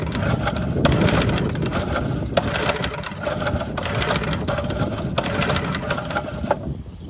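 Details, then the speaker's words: Montgomery Ward rototiller that won't start, with the spark plug back in and tested: repeated pull-cord cranks whir and rattle but it never fires or pops; no-start, no spark, so the shroud comes off to check the ignition. "would say we have no spark."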